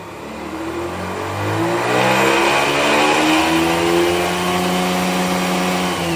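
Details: 2005 Mazda RX-8, engine rebuilt with lower intake manifold under 5000 km ago: grinding/rattling from about 2500 to 5000 rpm in any gear or neutral, clutch in or out; compression and ignition in spec, one trailing plug wet, exhaust no leaks; source unknown.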